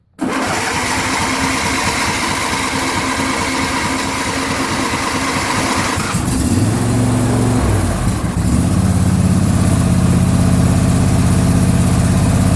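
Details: John Deere LA150 lawn tractor, nearly 300 hours, just refuelled after running out of gas, cold start: cranks, catches within a second, then settles into a steady, even low idle with no misses or knocks; normal idle.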